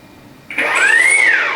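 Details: 3D-printed Ardupilot RC power boat at beach sea trials, motors armed, throttle added: a short whine climbs smoothly and eases back evenly with no rattle or stutter; a healthy motor spin-up.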